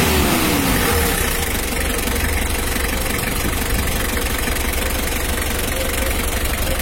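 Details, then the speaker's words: Mitsubishi L300 diesel during a radiator fan and fan-clutch airflow check, where the fan air is said to grow stronger when revved. Even, steady idle with a strong fan rush, no knocks or squeals; engine and cooling fan sound healthy. "ini kita coba lagi ini anginnya udah besar kalau kita gas pasca besar"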